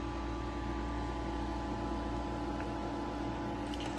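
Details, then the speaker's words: Frigidaire EFIC117-SS ice maker, previously failing to cycle, taken apart, now powered on: steady low hum with even fan whir, no knocks or rattles; appears to be working normally. "Is it really, is it gonna work now? It sounds like it's working now."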